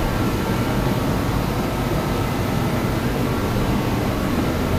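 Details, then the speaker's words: DeWalt torpedo heater that would not light and spat fuel, after fuel pressure adjustment: steady, even burner roar with a low rumble, no sputter or popping; running normally after repair. "well they adjusted the pressure of this a little bit more everything seems to be running okay now"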